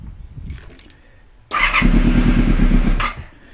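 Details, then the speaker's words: Honda VFR400R on the bench after plugs found swapped and a pinched brown wire, recharged battery: quick steady starter churning but it never catches; owner suspects high resistance at mildly corroded terminals pulling the voltage down. "that's promising it's more than it was doing last time"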